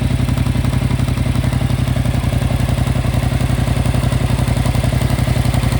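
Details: 2025 Yamaha MT-07 at 9,500 km: a fast, even ticking clatter, about four per second, rides over a steady idle; engine clatter of unknown cause.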